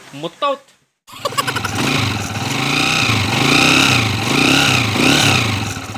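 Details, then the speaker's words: Honda TMX155 motorcycle converted to 175cc, after rebore and timing gear replacement: fires and settles into even, steady running with gentle revving; earlier whine gone, running normally. "wala na yung ngawngaw"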